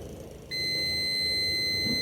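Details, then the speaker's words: Non-working portable desk fan being repaired, multimeter continuity test on the power cord: steady high beep about 1.5 seconds on both conductors, cable intact; motor and speed switch still to be checked. "diğeri de Sağlam kablomuz sağlam olduğunu gördüm"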